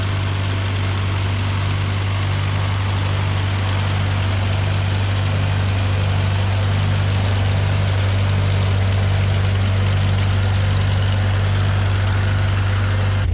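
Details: John Deere No. 5 sickle mower on tractor PTO (shaft lengthened by welding, 3-point hookup): deep steady tractor drone with even cutter-bar clatter about three times a second; normal operation.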